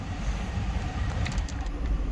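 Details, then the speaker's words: 2002 Kia Sedona, 124,000 miles, front cabin blower on high (rear fan also running) after clearing debris from the fan: steady low airflow roar with no rattle, ticking or scraping; previously noisy on settings 3–4. "the fan which is blowing on high right now you can hear it no noise i got the rear fan going too but anyway it goes full blast now"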